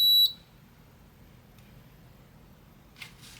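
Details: Repaired Midea air conditioner control board, 12 V and 5 V rails confirmed good: one short, sharp beep at power-on, then quiet; board starting up normally.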